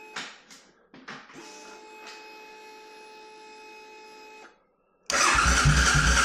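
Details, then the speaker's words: C50 under rebuild, rusty tank cleaned, new fuel pump fitted, old black oil, first test start: several short cranking bursts that catch only briefly, then a high steady hum; cranks but won't fire up and run. "It is not happy, that is for sure."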